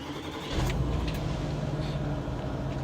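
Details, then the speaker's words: Cheap used diesel Range Rover with low mileage and no warning lights. It cranks, catches quickly and settles to a steady, even low idle with no knocks or misses: sounds quite sweet, normal start and idle. "and it does sound quite sweet"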